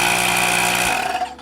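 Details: Arteck tire inflator: steady buzzing motor drone at constant pitch, winding down smoothly when switched off; running normally.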